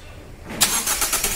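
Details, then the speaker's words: Toyota Corolla Altis after replacing a starter whose solenoid and bendix slipped with a used unit: brief cranking whirr, engine catches within a second and settles to an even run; clean, healthy start. "आप सुन सकते इसका firing और sound इससे पहले एक ऐसा आवाज़ कर रहा था स्टार्ट करने पर स्लिप मार रहा था अब देख सकते हैं रिप्लेस करने के बाद कैसा साउंड ए रहा है कैसा फायरिंग है"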